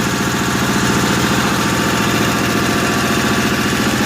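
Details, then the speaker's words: 1955 Cushman Truckster, running again after a couple of years unused; steady single-cylinder chuffing at a few firings per second, even and unbroken over a rattly mechanical background: old engine idling fine. "But there it is, the 055 Truckster. I knew she'd run. I just love to hear those old engines run that good."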